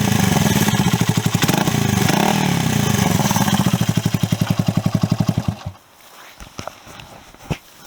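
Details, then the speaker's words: Honda CB125S with new aftermarket exhaust: very loud raw popping bark rising and falling with throttle; exhaust effectively unbaffled, owner suspects baffles were left out at assembly, far too loud to pass an MOT. "Okay, I cannot say just how disappointed I am with this exhaust. It is embarrassing. There is no way you could get it through an MOT if you wanted to."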